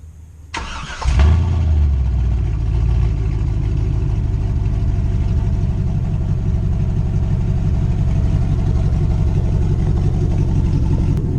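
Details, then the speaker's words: Chevy Silverado 1500 HD with no catalytic converters, an X-pipe and short 12-inch Cherry Bomb glasspacks fires, flares once, then settles into a deep, steady, throaty loping idle. It sounds mild and healthy at idle. Normal idle. "I do like that it has the ability to scream but it's kind of mild and just sounds healthy when it's idling or when you kind of just drive around like a grandpa"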